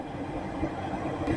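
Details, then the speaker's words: On a newly installed gas furnace, with a manometer on the gas valve, the inducer fan starts after the thermostat calls for heat, before the pressure switch check and hot surface igniter. It spins up with a smooth, steady low whoosh and no rattle or scraping, which is normal. "the inducer fan is running that's the first thing after the thermostat calls for heat the pressure switch is going to check for that pressure to make sure the fan is running"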